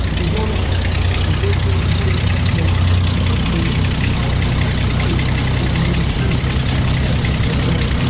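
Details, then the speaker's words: Rambler straight six after a new carburetor, points and condenser: deep, even rumble with steady firing and no misses, with exhaust leaks puffing that quiet as it warms. Runs smoothly, normal idle. "runs pretty damn smooth. After it runs a little while, the exhaust leaks get a little quieter"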